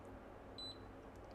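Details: Kaiweets KM601 multimeter in diode mode on a phone board, red probe on ground and black probe on a backlight line pin: one short, high-pitched beep over a quiet room as the meter reads 3.331.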